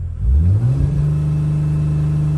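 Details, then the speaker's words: 2006 Dodge Sprinter diesel with P242F DPF ash accumulation and a badly clogged fuel filter. Full throttle: pitch climbs briefly, then holds flat around 3000 rpm, barely accelerating; jerky fuel delivery. Cause not confirmed. "so it's only stock at 3000 RPMs Let's do an acceleration test this is me going at a very fast speed pressing the gas pedal all the way down so barely accelerating"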